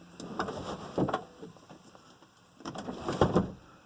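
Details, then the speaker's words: 1987 Mercedes 300 SDL sunroof after greasing rails and sliders: two short sliding runs with soft rubbing and a light clunk at each end, no grinding or binding; smooth operation. "let's see how smooth this is after greasing it oh yeah very nice very nice"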